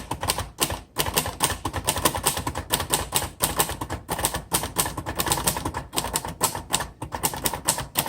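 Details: 1960 Royal Heritage 551 portable typewriter: quick even run of soft, slightly muffled key strikes, a few per second, occasional carriage clacks; buffered, noiseless-like sound, unclear if by design; mechanism healthy.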